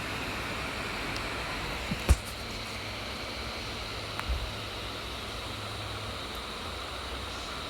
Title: Lenovo Y740 Bios update, loud fan noise